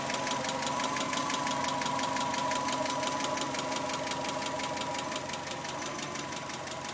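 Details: 1991 Subaru Legacy SS: a light, fast, even tick about three per second over the idle, seeming to come from the driver side; owner suspects a hydraulic lash adjuster (valvetrain), unconfirmed.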